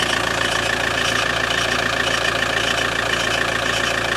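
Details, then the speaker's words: Alfa Romeo 156 at idle, noise noticed after cold start: steady high chirping squeal pulsing about three times a second from the accessory belt drive, persisting after replacing one pulley; crankshaft pulley suspected, to be replaced. "Then belt tensioner, then through crankshaft pulley onto the this pulley that we have changed and coming back to the air conditioning compressor. It hasn't gone away. It's still hear that noise."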